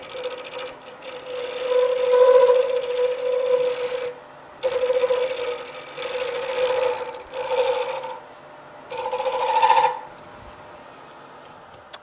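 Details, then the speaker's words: Wood lathe turning a pen blank with a carbide tool, corners being knocked off: steady motor hum under choppy, rasping cutting bursts as it starts getting smoother; interrupted cut while roughing an out-of-round blank. "So basically we've got some round corners cut off here, and you can see that it's starting to rough it up a little bit. I'm starting to get a little smoother."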